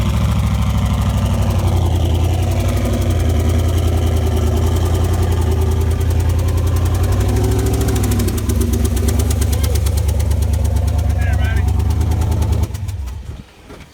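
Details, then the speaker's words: Boosted Mustang project after a dyno session: heavy lumpy idle with uneven deep thump and one dead cylinder; head gasket O-ring pushed out, compression escaping, one cylinder with zero compression. "Yeah, no head gasket here, baby. Hear the compression coming out?"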